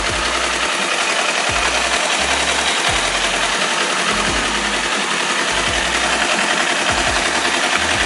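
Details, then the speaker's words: 2018 Kawasaki All New Ninja 250 twin with slip-on racing exhaust, stock header and catalyst: harsh rattly clatter with lumpy low pulses at idle and through revs. Normal factory character of this engine, nothing loose or broken. "ini bukan kasar karena motornya ada yang kendor ada yang rusak tapi memang bawaan dari motor ini suaranya memang seperti itu"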